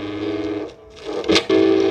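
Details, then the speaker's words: Philips GF503 portable record player speaker: music with gritty scratching distortion, not from record or needle, due to voice coil rubbing from a misaligned magnet; fixed by adjusting the magnet position. "eu vou colocar aqui e vocês vão ver que ele tem um chiado certo como se tivesse uma coisa arranhando um som"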